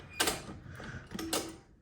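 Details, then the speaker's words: Old Maytag dryer timer turning: two sharp creaking clicks with a short squeaky tone between them, a screeching timer; the owner thinks it needs cleaning out, not confirmed. "Also fix up the timer because you can hear it screeching."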